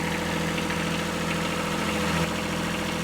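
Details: Kubota B7100 diesel tractor, cold freezing weather, idling after installing a new cheap group 51R battery while the charging voltage settles at 14.1V with the dynamo warmed up; smooth, even idle with steady low drone, no knocks or misses: normal idle.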